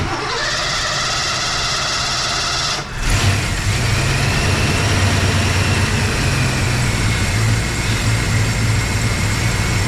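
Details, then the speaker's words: Engine with a completely dead battery, jump-started with a JFEGWO 4000A pack that dropped to 87%. Brief hum, quick crank, then it fires and holds a steady, even idle without stumbling. Normal crank and start. "start guys I don't know about you but when you did you hear how much power and juice that thing was not weak getting this thing started with a completely dead battery I'm actually impressed"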